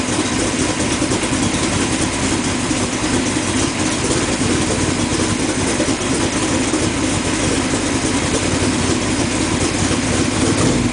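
Engine settles into an even, steady idle with no misses, stumbles or popping; it runs smooth and healthy.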